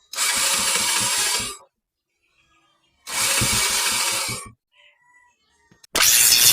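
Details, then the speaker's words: Motorcycle hard starting: two long bursts of even cranking with no firing, then it catches on the next try; weak spark, ignition coil suspected as the cause. "no yan tagal siya umandar so Mahina na yung ano niya Mahina na yung kuryente niya"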